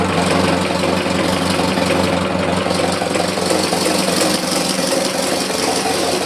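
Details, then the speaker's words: Engine at idle, recorded inside the firewall where it is loudest: loose, uneven knocking at roughly three beats a second, also heard when accelerating or cruising; the owner now doubts it is from the back of the engine, cause not pinned down. "But I can also hear it under power going down the road when I'm either accelerating or just cruising along."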